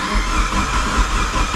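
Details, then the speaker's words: Mitsubishi Evo 4, 142,000 km, first start attempt: starter spins engine with a low churning rhythm, cranking sounds healthy but no fire; possible dead cylinder, compression test and coil, cam and crank sensor power checks planned, immobilizer possible. "All right, plugs it is. Sounds healthy. No fire."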